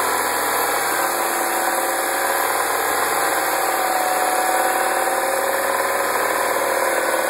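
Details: 2009 MINI Cooper (non-S) petrol engine at idle: a light, fast metallic rattle over the hum; an engine-bay rattle, source not identified.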